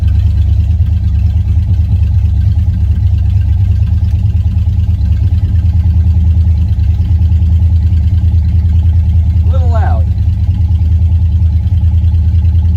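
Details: Dodge Charger, recorded from inside the cabin, after a transmission leak fix and external cooler install, on a recharged weak battery: deep, steady idle rumble, heavy on low end and louder than stock; loud exhaust at idle.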